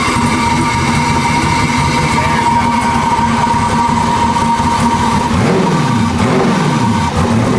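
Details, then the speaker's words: Turbo LS Foxbody V8 after fitting a Motion Raceworks belt-drive fuel pump in place of the loud fuel pump. Steady, even idle with no fuel pump whine on top: healthy. "It is weird to hear it run without that fuel pump blaring, you know?"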